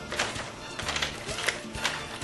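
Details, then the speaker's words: Window renovation: the sash hardware crunches and clicks unevenly as it moves, the characteristic sound of plaster that got into the fittings while the reveals were plastered and turned to grit, increasing wear; the hardware also needs minor adjustment. "Это характерный звук, когда у нас во время того, как делают откосы, попадает штукатурка в фурнитуру, и со временем она превращается в пыль и увеличивает как бы износ фурнитуры."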